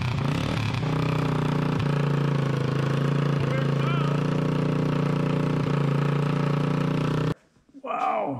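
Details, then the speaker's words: Honda TRX200SX single-cylinder after rebuild (cylinder bored .020 over, new crank bearings, seals, JB-welded stator cover), run on floor, choked: steady crisp idle thump, no rattles or knocks, then cuts off cleanly; normal running. "Considering what it started with. Sounds good. Sounds pretty mean. No rattles."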